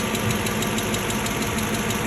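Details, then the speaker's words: Low-mileage one-owner Aston Martin 4.7 V8, recently serviced at a dealer, driven into the workshop: a sharp, regular knock about six or seven per second rides over the idle; big end bearing failure. "immediately on driving into the workshop you can hear the engine exhibiting quite a undesirable sound hi as the 47s can sometimes suffer this is Big M bearing failure"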